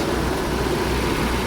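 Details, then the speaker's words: Mercedes W124 M102, first run after converting from KE-Jetronic to Voltarent EFI: a steady, even, fast hum with no dips, idle too high at 1,800 rpm with timing advance also high, to be lowered. "I can tell the idle is pretty high. It's at 1,800. Even the advance is high. So, I need to drop it."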